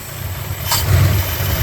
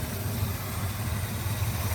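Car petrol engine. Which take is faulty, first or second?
first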